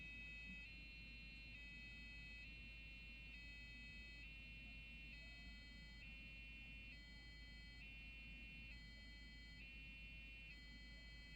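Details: Custom-built Athlon PC, MSI board, Western Digital drive, AGP card, salvaged DDR RAM, trying to boot Windows: two high tones alternate about every second over low hum, repeating; owner later suspects overheat failure.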